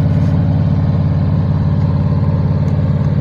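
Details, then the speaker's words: Carbureted engine flooded with STP engine treatment, held at high idle of about 1,800 rpm after revs to 3,200 rpm to burn off carbon and varnish: smooth, even low rumble with no misses or knocks until the smoky exhaust clears. "so now it's just going to stay in uh in high idle like this until the exhaust clears out"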